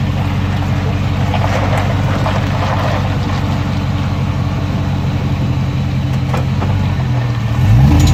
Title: Chirping noise on acceleration. 03 tahoe